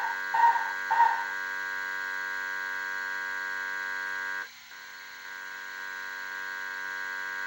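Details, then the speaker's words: 1978 Bally Midway Sea Wolf II arcade PCB after replacing 4016 and 4006 chips in the sound generation area: only a steady low buzzing hum, no game sounds, not even the sonar. "because there's no sounds now not even the pair the the sonar"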